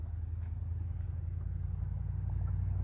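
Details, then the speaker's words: Truck exhaust after muffler that had come off the header was bolted back on with a split flange; earlier crackled on lift-off while cruising. Now low, smooth, even rumble with no crackle: loud noise gone, drives slightly better. "I just drove it down the road and back it's actually even driving a little bit better but that loud noise is gone"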